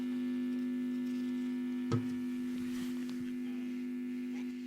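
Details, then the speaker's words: Telefunken Jubilate tube radio at its first power-up before recapping, on a lamp limiter at 214 V and 130 mA, volume at max, external antenna connected. A loud, steady low hum drowns out a faint station; mains hum from failed filter capacitors. "but it's picking up something very very faintly but it's it's actually clear but very faint lots of harm obviously so the filter capacitors need changing"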